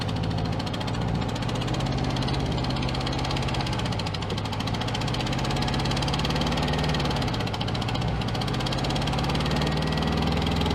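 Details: 1966 VW Beetle flat-four not run for about 10 years: a lumpy, lopsided low idle with little power; one cylinder is not firing, its exhaust pipe cold to the touch, and it seems to run on three cylinders.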